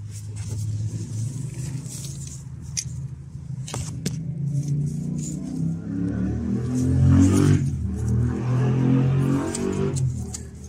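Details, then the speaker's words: Audi A3 2.0 TDI 140 diesel idling unstably with a heavy, uneven rattling racket: the accessory belt tensioner's spring has failed, so it no longer tensions the accessory belt. "un galet tendeur qui a son ressort HS et qui pour le coup lorsque le moteur tourne elle fait un gros bruit un gros bruit un gros bruit à cause de ce galet tendeur"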